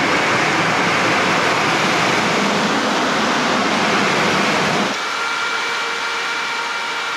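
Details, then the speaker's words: VW T4 Caravelle Syncro new radiator fan, bench tested after grinding off plastic that rubbed and melted against the shroud ring: steady even rush of air, no rubbing or scraping, spins down with faint hum; fan now runs clean. "Now it runs quite nice. That's plastic not touched together anymore. Yeah, now it's working."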